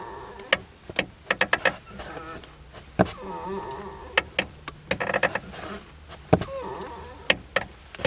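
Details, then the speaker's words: Lada Granta/Priora/Kalina 2 cable-clutch pedal pressed and released, before the fix: sharp clicks, crunching, creaks and squeaks from the pedal; cured by fitting a 5–6 cm tube on the pedal. "всем привет проблемы имеет количество прямых руках педали сцепления коробки многие вам знакомо такое шум скрипт"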